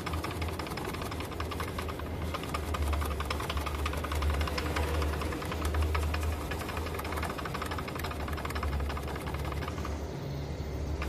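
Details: Mercedes C200 idling with a steady low growl and rough churning from the worn power steering pump bearing, which made steering heavy; the pump was replaced. The AC compressor is also starting to make noise.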